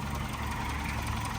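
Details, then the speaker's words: Abandoned 1995 Geo Tracker engine idling slightly rough with a light, quick top-end ticking that keeps pace with the engine; owner suspects it needs a valve adjustment, cause not confirmed. "Otherwise, the engine's good. I'm not sure if you can adjust the valves on these or not, but it sounds like it needs a valve"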